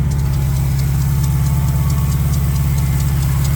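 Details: Cold idle on a 2021 Dodge Durango Hellcat: heavy droning hum with faint fast ticking from the belt drive, worn lower serpentine belt tensioner bearings; replacing the accessory belt tensioner corrected the noise.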